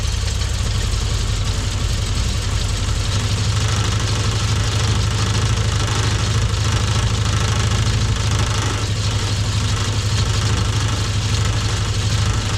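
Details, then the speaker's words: Frogeye Sprite engine warming at idle after tuning and a new coil fitted to cure a misfire: steady, even low idle with no stumble or skipped beats; misfire appears cured, running cleanly. "that sounds happy well we've battled the frog eye we've done a bit of tuning on the engine we put a new coil on it was that it had a misfire it seems to have cured that"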